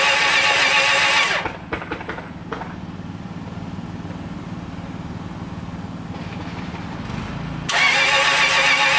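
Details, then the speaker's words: 2004 Subaru Legacy Outback that wouldn't start one morning: starter spins the engine with an even chug about four times a second, on and on, but it never fires; crank no start, owner wonders if battery. "So I did it again, and it just turned over and over and over and over and over and over and over. It didn't do anything."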